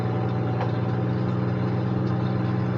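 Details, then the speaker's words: Semi truck at an auction yard, started with a booster pack: steady, even idle with a smooth low hum and no misses, knocks or ticks. The engine runs healthy. "now let's see if this thing will run of course it [Music] will not only does it run it runs very"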